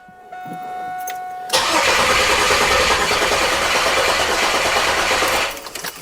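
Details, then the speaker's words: 1996 Chevrolet Camaro 3.8 L V6 bought sight unseen, cranked after a dose of carb cleaner; starter grinds about four seconds and it almost catches but won't run; owner suspects very bad gas or an empty tank. "it wanted to I think the gas in this thing is really really really bad or maybe it doesn't have gas at all"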